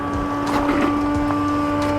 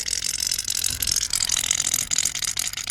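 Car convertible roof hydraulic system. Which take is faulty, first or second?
second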